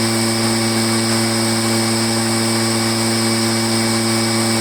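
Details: Echo PB500H two-stroke backpack blower, back with a no-start; an aftermarket carburetor was flooding the engine, and the fuel-line kink was fixed: steady high drone with even tone, no surging or misfire, holding throttle cleanly.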